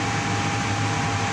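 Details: Payne furnace that had power but no flame, starting after sensor cleaning, a re-crimped loose connection and a test bypass of a popped fuse: steady smooth fan rush with a mid-pitched motor hum and no squeal or rattle; normal inducer startup.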